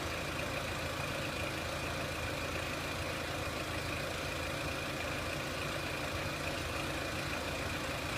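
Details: 2003 Renault Clio 1.6 petrol, intermittent stalling traced to loose crank sensor connector (sensor good), crank sensor being scope-tested; settled even idle with constant hum, no hunting, stumbles or misses; normal idle.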